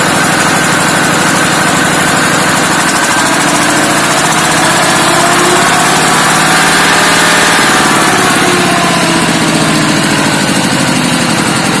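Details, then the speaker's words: ZS(SH)1100 15 hp single-cylinder diesel in a walk-behind tractor, warmed up: a howling whine grows louder and higher as revs rise, faint at low and mid rpm. Worn balancer shaft bearings, which were then replaced. "Как слышите, на малых и на средних оборотах этот шум не так слышен, но начинаешь добавлять высокие обороты, начинает сильно гудеть."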